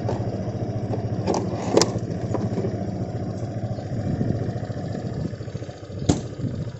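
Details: Honda PCX 150 scooter idling after a dead-battery no-start was fixed: a soft, even single-cylinder putter with a couple of stray clacks; it sounds healthy and settled, a normal idle.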